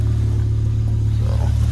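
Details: BMW M6 V10 with 60,000 miles, cold start after sitting all night: deep steady engine rumble idling cold with an even pulse and no knocks or ticks; normal cold idle.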